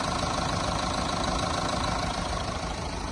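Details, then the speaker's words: Mahindra Thar BS6 engine after flood-damage overhaul, just started after head refit: steady, even idle, smooth unbroken rumble, no knocks or misses; sound back to original, healthy. "এতিয়া আমাৰ start হ'ল sound ধুনীয়া। চাউণ্ডটো এবাৰ শুনাই ল'ব বিচাৰিছোঁ। চাউণ্ডটো অৰিজিনেল চাউণ্ডে আহিছে।"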